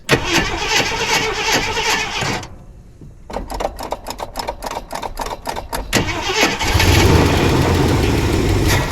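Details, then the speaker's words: 1979 Jeep Cherokee AMC 360 V8 after sitting 3+ years, fed from a plastic gas jug because the tank has holes. Steady cranking about four turns a second, then rough running; stalls after starting, owner blames low, bad-looking fuel. "Alright guys, I can't keep it running. And my gas, I've got a plastic gas jug in the back behind the driver's seat that I was using for a gas tank because my gas tank had holes in it. So it's pretty low and the gas in there looks really bad."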